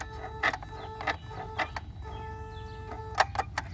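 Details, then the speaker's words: Mercedes S320, ignition on, throttle actuator and E-gas module fitted for testing: short buzzing whirs and clicks in separate bursts as the electronic throttle actuator cycles, making the noise it is supposed to; ASR triggers because the pedal microswitch isn't pressed. "but you hear it it is working making the noise as supposed to make the noise"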